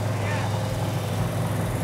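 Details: 1971 Dodge Challenger R/T V8 first fired on the run stand: deep, steady burble with an even beat and no misses or knocks, every cylinder firing cleanly.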